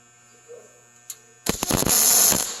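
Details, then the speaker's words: MIG welding Chevy and Ford truck bed panels together: after a quiet hum the arc strikes with a few pops then settles into a steady, even crackling sizzle, a solid weld with good contact. "yep perfect do you hear that one that one sounds solid right keep going"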